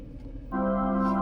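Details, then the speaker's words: Geely EX2 electric car AVAS pedestrian warning, which sounds from 0 to 30 km/h and is quieter inside the cabin: a smooth organ-like tone switches on and holds steady. The AVAS is working normally. "Nah, ini AVAS. Jadi kalau di bawah dari 0 sampai 30 km/h di dalam itu akan bunyi gitu suara suaranya gitu. Tapi enggak akan sekencang ini ya."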